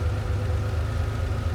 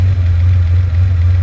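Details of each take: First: Ferrari 512BBi after mixture adjustment (previously lean and hunting), adjustment hole covered: low, even idle with a steady unbroken beat and no stumbles or misses; smooth idle. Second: Ferrari 512BBi flat-twelve, second mixture check after a road test: steady low idle with a slightly flat, thin note and no knocks; idle mixture still weak, and a tiny screw adjustment improves it.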